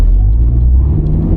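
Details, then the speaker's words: Deep, steady engine rumble under full-throttle acceleration from a stop with no knocks or grinding. On a new front-wheel-drive 2026 Toyota Camry Hybrid, the wheels spun twice, then traction control caught it; strong pickup. "Okay, it started to spin the wheels twice, but then the traction control kicked in and kept it from spinning the wheels. So, it's got plenty of pickup, and the traction control system works perfectly."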